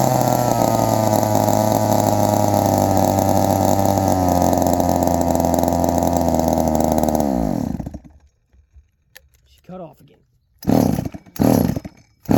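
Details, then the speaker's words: 1972 Remington chainsaw; it buzzes roughly near idle for several seconds, then sags and dies completely. It won't hold an idle, and the owner plans to adjust the idle screw. "it's not outling very good either I think it's one to mess with the auto screw she don't want to idle ATT very good"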